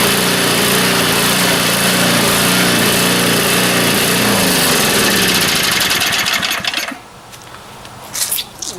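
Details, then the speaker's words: Neglected snowblower that sat outside since last winter, treated with fuel stabilizer, first start: small single-cylinder engine holds a quick, even, steady beat for about seven seconds before shutting off; runs normally after sitting. "this video just got a lot shorter than I was expecting it to be I was expected to have to tear this thing apart"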